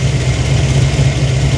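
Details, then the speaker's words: Monte Carlo SS V8 with cam, after new transmission and fixed header leaks: deep, smooth, even warm idle rumble with no ticking or exhaust puffing; normal idle, no leaks. "you hear that hers like a kitten no more header leaks no leaks at all just runs out like an ABS absolute Beast"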